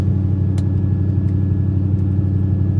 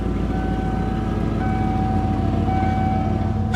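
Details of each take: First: 1995 Ford F-150, apparently low mileage, sat for weeks, intermittent check engine light, after a drive: steady fast engine drone held well above normal idle without hunting; idle awfully high. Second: 1995 Ford F-150, non-runner, running after reconnecting a suspected shorted sensor/computer, low on coolant: even steady engine beat with no knocks or misses; slightly rough on throttle.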